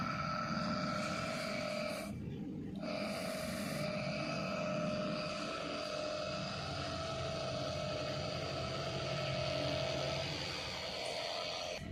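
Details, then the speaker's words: Indoor AC unit blower motor run on its own, cooling coil removed, after refitting the sealed motor to check a noise: low, even hum with steady mid tone, no rattle or scraping; motor now fine and quiet. "तो यह लो दोस्तों हमारी motor बिल्कुल ठीक हो गई है अब हम इसको इसके अंदर फिट कर देंगे मोटर को"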